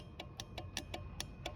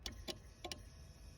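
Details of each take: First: Citroën Xantia Activa V6 ES9J4 194 hp no-start, simulating ECU ground on pump control circuit: sharp uneven relay clicks with no fuel pump hum following; pump runs when wired direct, owner suspects tired connector. Relay clicking, pump not running. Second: Citroën Xantia Activa V6 ES9J4 194 hp with no-start (fuel pump runs only when wired direct), simulating ECU ground return: crisp fuel pump relay clicks, rail pressure present; owner suspects a tired connector or ECU not sending the signal.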